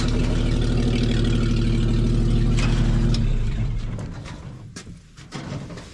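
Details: 1961 Chevy dump truck, old V8, started after sitting for a while: a steady, even low beat with no misfires before it winds down. A healthy idle.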